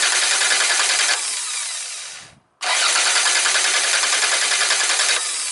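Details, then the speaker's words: Car starter motor cranking: even, high whir at about 3.5 beats a second, a short pause, then cranking again, a healthy normal starter sound. "okay and this is like normal starting motor"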